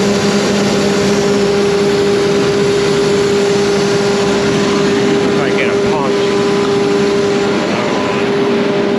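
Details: John Deere 7200R tractor, 11,630 hours, after exhaust manifold reassembly with a new gasket and replacement engine wire harness: even, steady diesel idle with a constant low drone, no puffing or ticking from the exhaust.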